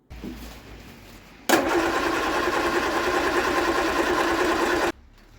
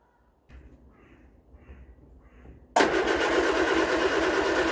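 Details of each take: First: Vauxhall Viva HC after water-contaminated fuel flushed, filter changed and fed fresh fuel: starter churns, engine catches and runs steadily a few seconds, firing evenly; starting fault was water in the fuel. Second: Vauxhall Viva HC with rebuilt carburetor, started on carb cleaner: starter cranks in slow rhythmic bursts, then engine catches and runs; with fuel in the carb it won't start.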